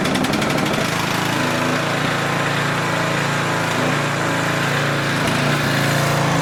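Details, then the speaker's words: Older 4,000 W Tecumseh generator after carburetor adjustable jet tuning: steady loud single-cylinder drone with a fast even beat and only a faint, occasional surge, much improved; governed speed low at 55 Hz, needs raising. "There's a minor surge time to time. Um, but it's really not all that much. It's significantly better."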